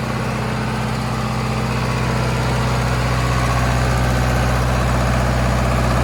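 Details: 40 kW John Deere diesel generator trailer at 3722 hours: steady, even diesel chug with a solid low drone, no knocks or misses; normal, smooth idle.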